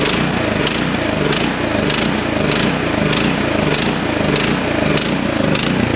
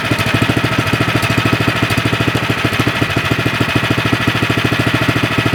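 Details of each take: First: Nearly new, lightly used 24-inch Troy-Bilt snowblower left 9 months with gas runs only on choke: engine surges up and down about every half second, then stalls at idle; fixed by cleaning the carburetor with torch tip cleaners. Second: 24-inch Troy-Bilt snowblower that only ran on choke and surged after sitting about 9 months with gas; idle adjusted after the fix, electric start. Even, steady single-cylinder idle with quick regular firing, no surging or stalling; normal idle.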